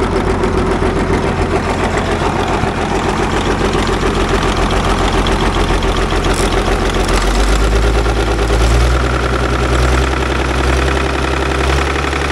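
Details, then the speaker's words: Caterpillar D6 9U diesel, likely a 24 V system started with the compression release, injector pump oil just changed because it was very dirty: a heavy idle with an uneven, rough knock over a low rumble; owner suspects the number 4 injector. "So I think we're at the point number 4 injector is probably causing the knocking."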